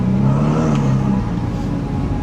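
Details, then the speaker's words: Ferrari 488, 12,000 miles, driving after failed turbos replaced: engine pulling under load with faint rising whistle over exhaust; twin turbos now audible and spooling properly, unlike before repair. "See how you can hear the turbos now? Yeah. Before you couldn't. No, it wasn't strong."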